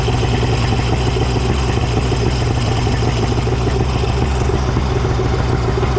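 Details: Suzuki DT65 outboard after replacing fuel pump (found mounted upside down) and ignition key: even, steady low rumble without stumbles or surges, holding speed; running properly.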